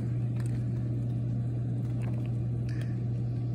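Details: Softub 220 pump after installing two 50V 10mF capacitors at the temperature sensor leads to fix short cycling, a constant P-code and temperature fluctuations; it restarts after the temperature is raised and gives a steady low hum with no on-off cycling, running normally.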